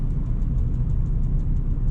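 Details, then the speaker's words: BMW E36 320i in fifth gear at high road speed; rapid light knocking over heavy drivetrain rumble; propshaft flex coupling found obliterated on inspection and suspected as the cause. "it sounds like I'm having fun in the car but I'm not um so that's actually the prop shaft coupling that we think it is well the pop shaft coupling when we inspected it is absolutely obliterated so I'm hoping that's what's causing that"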